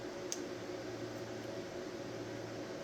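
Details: Tattoo pen used for comparison against a noisy, vibrating new Wormhole pen: a smooth, quiet, even hum with a low buzz and no rattle. This is normal running.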